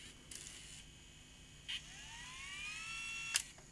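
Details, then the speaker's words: Tascam DA30 MKII DAT recorder on fast forward after a capstan belt replacement. A faint high whir rises as the transport spins up, with sharp clicks between. The belt runs, but it sounds strained, suggesting a problem in the reel drive mechanism beyond the belt. "Okay, so we're seeing the belt run, but was doesn't sound happy. So, there may be a problem in here that could be a bit harder to fix."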